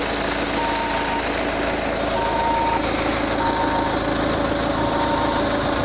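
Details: Peugeot 508 at steady idle: a clear high beep repeats about every second and a half from the engine bay; cause unknown.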